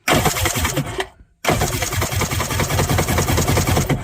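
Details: Kawasaki 1100 STX jet ski triple after cleaning to fix a dead middle cylinder with no spark, no parts replaced: short cranking bursts, a gap, then it catches and fires in a steady rapid chatter on all cylinders.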